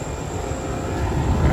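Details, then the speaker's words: Older Rheem R22 AC condenser starting after resetting a tripped 50 amp breaker: hum builds smoothly into a steady even drone with no buzzing or clatter; running normally, dirty coil noted. "right, so she's running."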